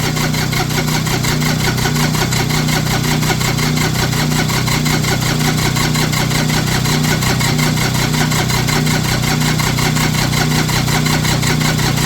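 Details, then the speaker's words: Diesel tractor with one or more bad glow plugs, started using a hair dryer blowing into the intake as a temporary fix; steady, even diesel clatter at a settled idle with no misses: normal diesel idle. "oh I love that trick it works y'all it works you hear it running it works"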